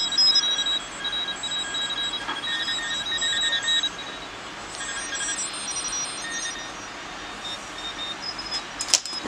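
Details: QRP Pixie transceiver kit after replacing a bad LM386 audio amplifier chip that caused hum, heard through low-impedance headphones: quiet hiss with faint high tones and no low hum; receiver audio now clean.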